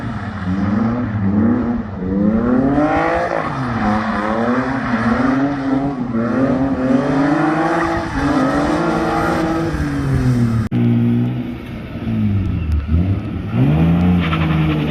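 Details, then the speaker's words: BMW E36 M52 with M54B30 inlet cam, after replacing the crank sensor, cleaning the idle control valve and fixing air leaks: repeated clean rev sweeps with crisp throttle response and no misfire, stumble or knock. Normal revving. "we had quite a few um running issues in the beginning uh had to change crank sensor cleaning the outer control about a few air leaks but um running nicely now and it revs well with the m54 cam"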